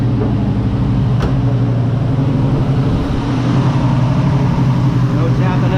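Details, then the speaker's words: 1969 Nova V8: deep, steady rumble, much quieter with no tapping or ticking; normal running. "well that's much quieter no tapping at all"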